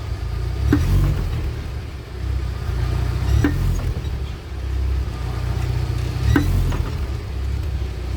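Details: UAZ Patriot rear axle knock while driving steady: single dull knocks about every three seconds over road rumble; slack pinion (tail shank) play from loose nut and worn bearings, fixed by pinion adjustment.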